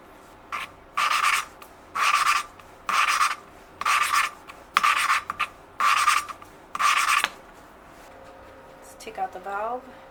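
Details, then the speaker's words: 1982 Yamaha XT200 rebuild, valve lapped with grinding compound: seven even gritty rasping strokes about once a second, already sounding better and higher-pitched; the seat lapped in to a good dull gray finish. "at first you can really hear it like you know grinding but like once it starts like um uh uh grinding down uh it The Sound gets into a higher pitch"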